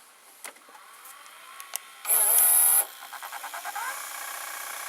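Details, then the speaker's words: Toshiba M-3285C/M-3286C VCR with a replacement pinch roller, fast-forward pressed: quiet whir with clicks while it spins with the controller engaged, a loud mechanical burst as it disengages, then a rising whir to full speed with tape still on the heads. Normal fast-forward spin-up. "a bit with the controller engaged then it disengages the controller and those who full-speed password"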